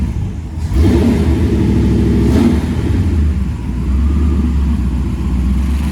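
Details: First fire-up of freshly swapped 335hp supercharged Ardun flathead in 1932 Ford Roadster, magneto ignition: deep even rumble, quick rev settling into steady fast idle; fires cleanly and runs smoothly, aside from a leaking AN oil fitting.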